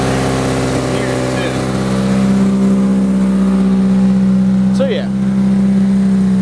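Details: 2003 Toyota Corolla before new exhaust system install: loud raspy idle with coarse low drone and fast steady pulse, rising with a blip; exhaust leak, quieter after replacement.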